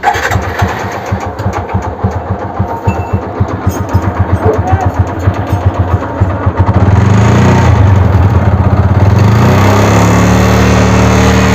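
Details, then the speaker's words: TVS Apache RTR 200 4V motorcycle, 56,367 km, engine already repaired three to four times: rough, rattly clatter at about three to four beats a second that rises with throttle; the mechanic suspects piston damage, not yet confirmed. "Hello दोस्तों इस गाड़ी के अंदर इस तरीके की आवाज आ रही है"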